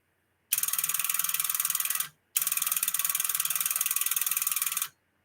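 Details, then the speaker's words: Sonar tube linear amplifier under repair: fast, crisp buzzing clicks in two bursts as one relay chatters back and forth instead of pulling in and holding, while the other relay stays locked; cause still undiagnosed. "Hear how it's chattering? It's just the relay on this here is just going back and forth, back and forth."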